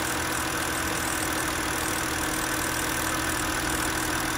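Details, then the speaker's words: 2006 BMW X3 E83 petrol six-cylinder at idle after swapping the cylinder 3 ignition coil (scanner showed cylinder 3 misfire, code 29CF): steady, even idle with no stumble or skipped beats; misfire gone, normal idle. "the misfire is gone clear these folds now"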